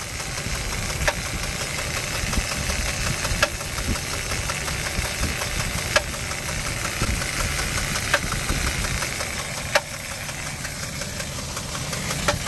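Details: 2004 Jeep Liberty Renegade, very high mileage, no oil change in over 100,000 km, cold start after -30° nights: sharp knocks every couple of seconds over a steady idle, from the front timing area; owner suspects collapsed lifter or dropped rocker arm, unconfirmed.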